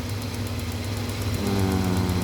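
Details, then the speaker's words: Hyundai Santa Fe V6 with engine light on, at idle during fuel-trim diagnosis: light rapid ticks about eight per second over steady idle as canister purge control reads on; purge valve clicking normally. "canister purge control is on it's on at the moment I can hear that ticking all right when it's not on that will be zero okay"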